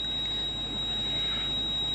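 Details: Steady high-pitched electronic buzz in a quiet cabin of a 170-series Toyota Crown Majesta (1UZ-FE V8) during scan-tool diagnosis; ABS warning buzzer from low ABS pump accumulator pressure.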